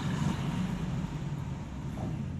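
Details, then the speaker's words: Nissan Rogue horn test during aftermarket horn replacement: short single thin horn note lacking punch, very low output. "very low okay so the horn is located right here"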